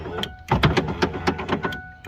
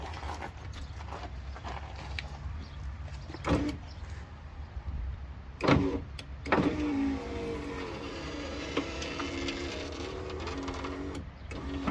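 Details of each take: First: 1995 Ford power window motor hums and clicks rapidly while the glass stays put, sticking in spots going up and down; its internal gear is slipping. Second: Power window motor on a 1995 Ford truck after repair of glass sticking partway up and down: motor hums steadily as the glass travels, no grinding or catching, clunks at stops; slightly slow with engine off.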